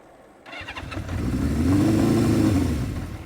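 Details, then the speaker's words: 1978 Honda CB550K on its first ride in months: the revs climb, then sag and stumble under throttle. Engine bogging; the owner suspects fuel starvation from a clogged petcock or dirty carbs, and the choke is later found to be on. "feels like I'm not getting fuel let me shut it off let's see let's try it this way it's got to be in my petcock"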